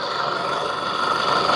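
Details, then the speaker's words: Diesel engine just rebuilt and reinstalled with new injectors, fuel delivery tested and lift adjusted, first start: even steady clatter settling into a smooth, healthy idle with no misses, knocks or hunting. "นี้ยกสไลด์มานะครับไม่ได้ขับมานะครับโหเสียงเครื่องยนต์เพะเลยนะครับ"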